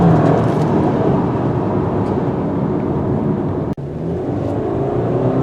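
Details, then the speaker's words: 2019 Subaru Forester with CVT transmission at full throttle: flat, unchanging engine drone held at one pitch while the car pulls hard, like an outboard motor; typical CVT drone, nothing wrong. "You hear that droning, called the CVT drone. It sounds like an outboard motor."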